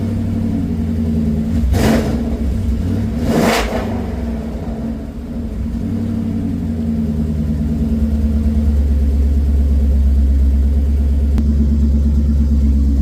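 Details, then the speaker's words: Coyote V8 swapped into a Ford Ranger with Mustang cams, freshly reassembled, engine not yet up to temperature: two quick blips swell and fall back cleanly to a steady, throaty idle with no knocking; normal, healthy revving. "Sounds pretty rowdy again. The Mustang cams changed the sound a little bit."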